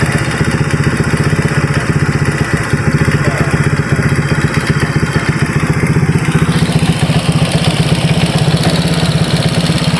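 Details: Honda Vario 150 keyless scooter that suddenly died and would not start (fuel pump pressure normal, about 40), after repair with radiator coolant refilled: even, quick putter about four beats a second, no knocks or rattles; idles cleanly.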